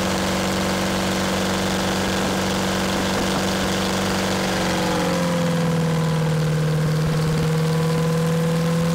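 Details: Champion motor grader with a Detroit diesel that sat locked up for 7 years, now freed: steady, even drone that eases down to a slower idle halfway through, no knocks or misses; normal running.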